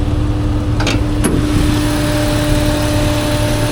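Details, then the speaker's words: 2005 Jeep Wrangler TJ 4.0L, hood open, fully warmed up, AC off: steady mid-pitched buzz over an even idle with loss of throttle power, quieter with AC on, first suspected a pulley; vacuum leak from a crankcase vent (PCV) hose. "Now, like I said, once I start hearing this noise, once I start hearing this noise, I get a lack of power in the throttle."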